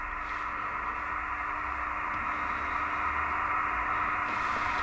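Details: Kenwood TS950S transceiver with an intermittent dead main receiver: with positive voltage fed through a 10 kΩ resistor onto the AGC line, reception returns. Even hiss cut off above about 2.5 kHz, faint low tone; the S-meter works again.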